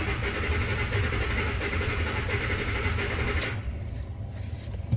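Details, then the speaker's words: Ford F-150 5.4, misfire and running poorly, cranked in clear-flood mode: the starter cranks with an uneven, lopsided beat, one cylinder not contributing, a dead cylinder. "got a dead hole this thing's got a cylinder that's not contributing"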